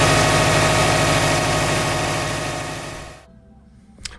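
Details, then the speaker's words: 2006 Subaru Legacy GT with a weak battery, jump-started with an Interstate PWR7020 lithium jumper: engine runs strong and even with a steady beat, then dies away to quiet and a few clicks. Normal start and run. "But yeah, mission success. So keep in mind, actually I used this right out of the box, so I didn't even charge it."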